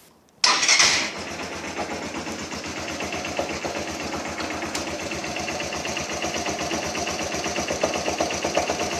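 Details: BM Classic 200 motorcycle starts and idles with a rapid, even knocking from the clutch assembly, attributed to low-quality oil. Clutch knock at idle.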